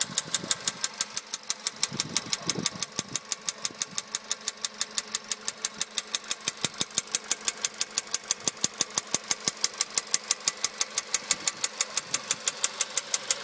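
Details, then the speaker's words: 2013 VW Polo sedan 1.6 CFNA, warm engine, knock appeared 75 km after warranty piston replacement at about 27,500 km, now 834 km on new pistons; sharp regular ticking knock about twice a second at idle, cause unknown. "сейчас я запущу двигатель двигатель у меня уже прогретый и уже сейчас слышен этот стук"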